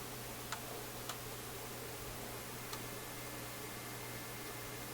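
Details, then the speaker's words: Philips console stereo tube receiver, first power-up during checkout, no tubes wiggled yet: steady low buzz through the output with faint clicks and ticks, no program audio; buzz source unknown. "So I'm just hearing a buzz. Some other little clicky things happening."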